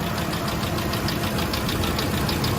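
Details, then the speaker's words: 2005 Ford F-150 5.4L 3-valve Triton, timing job reportedly done 20,000 miles earlier: crisp, even top-end tick about three times a second at steady idle, from lash at a failed roller follower; taps constantly from cold to hot and only replacement fixes it. "And that's what makes that crazy noise. And of course, since the follower itself failed, nothing is gonna fix that. It will constantly tap from cold to hot."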